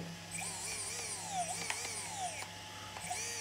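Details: Team Magic B8ER SE electric RC buggy on the bench after ESC install and calibration; high motor whine rises and falls smoothly with throttle through forward, brake and reverse, responding normally.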